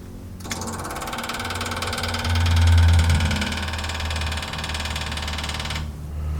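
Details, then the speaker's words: MGA 1600 roadster under restoration, key turned on before first start: rapid, steady ticking at about four clicks a second from the electric fuel pump, indicating ignition power. Normal fuel pump operation. "fuel pump runs so it means we should have ignition"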